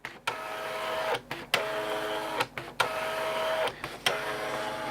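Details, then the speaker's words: Amstrad DMP3000 dot-matrix printer running the diagnostic self-test: carriage sweeps and paper-feed whirrs with clean stops, but no pin firing is heard. The owner suspects a print head problem. "so I can hear paper being fed that way I can hear the pr going that way I can't hear any pins firing in the print head it's too quiet so I think there's probably a problem with the print head"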